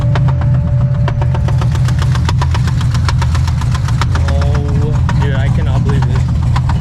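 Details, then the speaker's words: C6 Corvette Z06 V8 with about 15,000 miles and built heads and cam, idling after back-road pulls: sharp, evenly spaced knocks over the deep rumble. Owner suspects knocking, possibly misfire or exhaust leak; source not pinned down. "Literally. I don't want to say the word, but it's like a knocking noise. Bro, what is that?"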